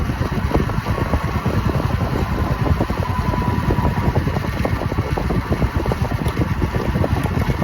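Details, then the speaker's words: Royal Enfield Meteor 350 riding after rear disc brake repair for a squeaking "chee-choo" noise: steady single-cylinder thump and road rush, no squeal or scraping; quiet rear disc brake. "यह मुझे लगता है सही तो हो गया है। अभी आवाज तो बिल्कुल नहीं आ रही है।"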